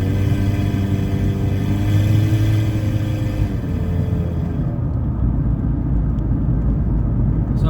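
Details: Chevrolet HHR driving under acceleration after a ting over speed bumps: loud, raw exhaust rumble and blatting rising with engine speed; owner suspects the exhaust dropped off the manifold after a bolt fell out, leaving it open.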